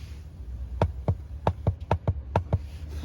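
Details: 2020 Mercedes GLC300 4MATIC SUV, engine off: about eight sharp, dull clicks, roughly one per second, as the driver-side floor is pressed.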